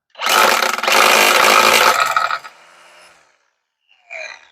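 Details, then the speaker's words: Black + Decker LST-522 20V cordless string trimmer, new: high, even electric whir spins up quickly, holds about two seconds, then coasts down; healthy motor with plenty of power. "Definitely sounds like it has some power."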